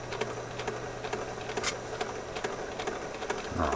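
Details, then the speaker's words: 1969 Nationwide Manufacturing turntable from a Philco console: clattering thumps about three a second, like a train over rail joints, over a faint motor hum; hardened idler wheel with a divot and no traction, needs replacement. "it sounds like a railroad it sounds like a train going down the tracks here just gave up the ghost"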